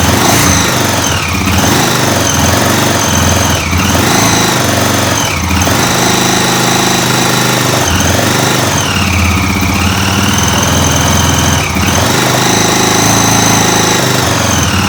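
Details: 2006 Honda TRX400EX Sportrax hybrid build, first start after full assembly and heat cycles, cold weather; single cylinder revs up and settles repeatedly, crisp and even with no knock or rattle; healthy engine, though an exhaust leak is suspected.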